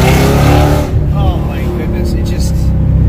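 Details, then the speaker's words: Audi S4 with aftermarket exhaust accelerating hard while driving: a deep, throaty V8 whose pitch rises smoothly with throttle, then settles. Strong, clean, healthy running despite a check engine light of unknown cause. "sounds incredible. It's a put a smile on your face sound. It's unbelievable."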